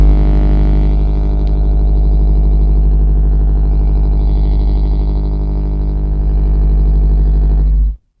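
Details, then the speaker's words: Blonde Fender Bassman valve amplifier, channel one volume up, others at zero, master volume raised: loud steady low hum with buzzy edge, unchanged until cut off; hum present on every channel, cause not yet found. "there's a hum on every channel. I've currently got volume uh channel one volume up. All the other channels on zero."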